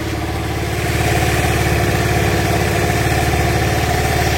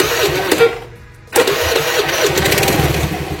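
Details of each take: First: Carbureted Honda Vario scooter started on a cold morning: hard to start, stalls immediately, then idle rpm swings up and down unevenly; owner attributes it to a faulty choke (often a dead choke solenoid), causing high fuel consumption. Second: Carbureted Honda Vario scooter after the carburetor choke was closed off as a fix for hard starting and high fuel use: cranks briefly, catches with a sharp rise, then holds a steady, even idle with no hunting or surging.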